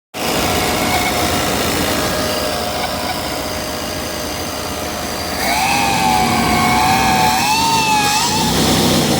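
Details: Chevy 5.7 V8 at idle and rising revs: clear high whistle that climbs and wavers with revs, coming from around the throttle body; whistling noise at the throttle body, source unknown.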